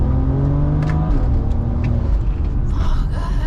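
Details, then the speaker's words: BMW 335i N54 with 6-speed automatic (ZF6HP) on xHP drag mode tune: full-throttle climb, then a quick, firm upshift with no torque cut and no pause in pull. "However, at 6,500 RPM, if you click shift in drag race mode, you are spinning. And it's because it doesn't cut torque."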